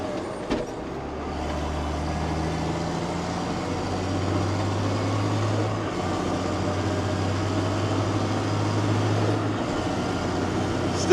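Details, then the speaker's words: JCB Fastrac 3170 with Cummins 6BT diesel, under way after investigating a belt-like squeak: steady, even drone with no squeal, sounding normal now. "listening desperately to see if I can hear anything but it does sound normal now sound normal so we'll keep it a bit longer"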